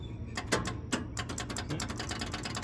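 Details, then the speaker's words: John Deere 555 bulldozer, over 20 years old and long sitting, with a newly fitted smaller battery: irregular sharp clicks with no cranking rhythm as the starter solenoid chatters from too little battery voltage; it needs a battery charger. "no i need more voltage ah we're getting signs of it working"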